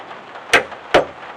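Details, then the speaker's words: Ford Bronco, cold, battery and battery-to-solenoid both read 12 volts: two sharp single clunks half a second apart, no crank; a long-running no-start. "clunk. Now this thing's been doing this ever since we've had it. The thing eats starters for some reason,"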